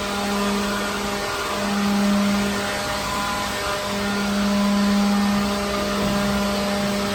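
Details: Second-hand leaf blower clearing dirt from a truck trailer. Steady fan whine at one even pitch, swelling slightly as it is swept around; runs strong and healthy; normal.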